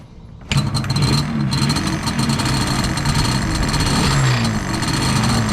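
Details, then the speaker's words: Yamaha Banshee two-stroke ATV revving: a loose metallic rattle rides over the engine as revs climb, from the kickstarter assembly having play; the fix planned is rebuilding the kickstarter ball bearing, spring and seal. "So when you turn on the Banshee, this sort of rattles, and if you have that, I'm going to see if changing the components inside, the little ball bearing, the spring, and the seal, if that wil"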